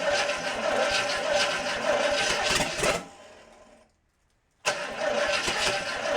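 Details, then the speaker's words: International 345 V8 after reassembly, first start-up after correcting reversed wiring; catches and runs with a steady, slightly lumpy beat and a brief dropout, timing set by ear, carb still needs work, but idles. "first step is accomplished i got it running reasonably well you know i've just timed it by ear and the carb definitely needs some work but i at least wanted to get it so it would idle and it's doing that"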